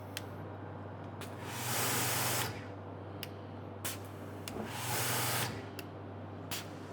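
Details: New Maxshine electric pressure washer with induction motor and triplex pump: steady motor hum under spray bursts with clicks.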